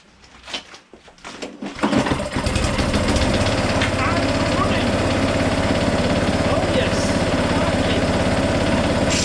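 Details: Power Devil PDG4350P petrol lawn mower after fitting a replacement recoil starter and petrol tank, primer pressed: a few pull-cord tugs, then it catches about two seconds in and settles into a steady, even idle with no misfire.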